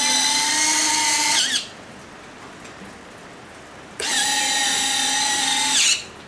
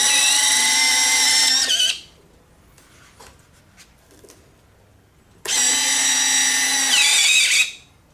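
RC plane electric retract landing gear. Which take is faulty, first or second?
second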